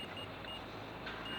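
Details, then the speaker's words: Jaguar X-Type/Ford Mondeo 2.0/2.2 diesel auxiliary heater glow plug, engine run warm, tested with a multimeter under the car: a thin continuity beep, reading about 1 ohm. The glow plug is good. "that one that was okay and that's giving us naught point not one all right so that's one ohm so that's good"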